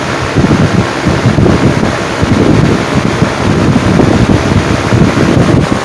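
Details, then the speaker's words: 1950s Wizard box fan after cleaning and service, reverse mode on high speed: steady rushing airflow, even drone with faint soft patter; sounds healthy, slightly different, owner thinks because reversible blades are less pitched than non-reversible ones. "it almost sounds like a a little bit like a patent on the uh on the reversible I don't think these blade sets uh didn't have the same they they were a little less pitched than the uh than the non-reversible I think that's why these sound a bit differen"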